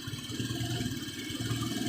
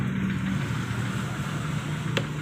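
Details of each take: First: Honda Vario 125 scooter before service: idle surges and sags instead of holding steady, a hunting note; unstable idle later traced to a dirty idle actuator and throttle body. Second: Honda Vario 125 scooter after cleaning the dirty idle actuator and throttle body and resetting idle: small single ticking over smoothly at a steady 1500-1600 rpm idle, no stumbling or misses like before; idle now normal and stable.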